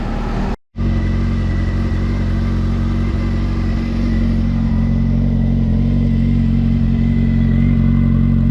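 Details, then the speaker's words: Honda Hornet 600 four-cylinder after a service and idle adjustment: smooth, even idle with a steady low hum, no rustling or tapping. "zdrowo równiutko idzie Nie ma co udało się go ustawić dość fajnie nie szeleści nie stuka"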